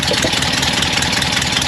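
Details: Porsche 912 with exhaust work from a previous shop, at idle, heard beneath the car: fast, sharp, high-pitched puffing tick over the exhaust note, soot visible; leak at the muffler flange and bolt hole.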